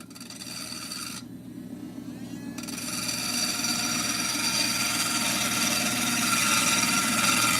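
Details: Cabochon grinding of a stone on a wet wheel, made perfectly round and now being pulled up to form the dome. A steady, even rasp with a smooth rhythm of about four strokes a second and no chatter; the stone is running true.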